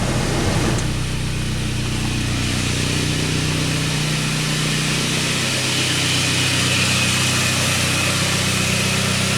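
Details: 1999 Saab 9-3 previously crank-no-start, tested with scope on crankshaft sensor and ignition coil feed: steady, even idle with smooth low hum and no misses or stumbles.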